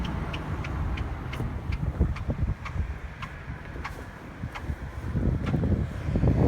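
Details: Car pulling out in Drive on the way to the mechanic; sharp chirping squeaks about three to four a second, speeding up with acceleration and stopping when stopped, owner suspects tires. Squeak while driving.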